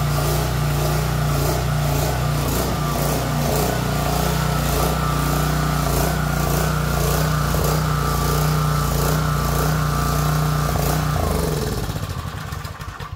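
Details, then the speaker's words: Small single-cylinder engine after carburetor cleaning (sediment in bowl, broken fuel shutoff lever): runs fast and even with a steady beat for about twelve seconds, then shuts off; sounds healthy. "not bad shaking the cobweb was off a little bit and I think it's all right I mean the carb didn't look terrible and it started so sweet"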